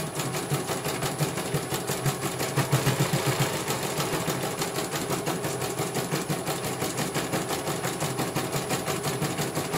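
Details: CNY computer embroidery machine from Banjarnegara, Central Java, test-stitching after service (dynamo motor earlier wouldn't spin at all): rapid, steady needle ticking at constant rate, no grinding or rough motor whine; one colour finished, result very good, normal stitching.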